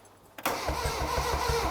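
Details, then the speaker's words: Ford Sierra Cosworth, sat for 10 years: starter spins the engine evenly, about six compression pulses a second, no grinding, oil at top; normal cranking. "sounds good oil oil at top and all is it hit let's it sounds good right so Loom it's turning over"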